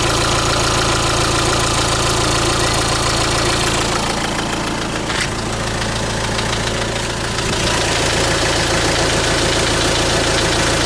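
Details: Renault Trafic / Opel Vivaro 1.9 dCi diesel at idle: sharp repetitive knock about three per second, low in block, loud near passenger seat and timing-belt side; crank pulley bolt tight; pulling injectors one by one weakens but doesn't stop it; owner suspects rod bearings.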